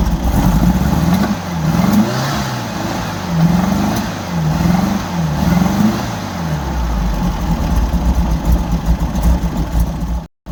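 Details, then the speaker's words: 1964 Volkswagen Beetle revved in neutral: revs rise and fall with sharp pops as throttle opens, worse under load; backfire on revving, owner thinks it may come from the carbs, unconfirmed. "when you rev it up there's a nasty like pop um and it sounds like it's coming from the carbs I'm not sure um but as soon as you like put the engine under load like try to accelerate it's um it gets a lot worse"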